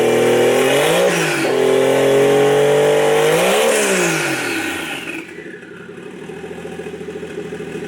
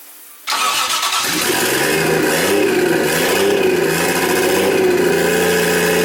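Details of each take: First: 1JZ inline-six swapped into a Nissan 240SX S14, on a JZX100 ECU, throttle body and harness with the idle air control and vacuum lines capped: revs cleanly twice, settles to a smooth even idle, then shuts off, running healthy. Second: Nissan 240SX S14 with swapped 1JZ engine, first start in about a year and a half, vacuum lines not yet hooked up; cranks briefly, starts right up, then settles into a lumpy, slightly hunting idle with wavering tone, rough likely from open vacuum lines.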